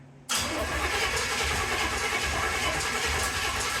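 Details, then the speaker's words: 1931 Ford Model A Coupe hot rod, first start attempt: starter churns in steady low chugs for four seconds, no firing; cranks but won't start. "turn the key on just crank it don't touch anything just crank it break"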